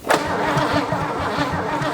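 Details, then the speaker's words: 1957 Chevy V8 off the road since 1979, crank-no-start: steady, even starter churning with no firing or catch; still won't start, cause not yet found. "no perfect still doesn't do it"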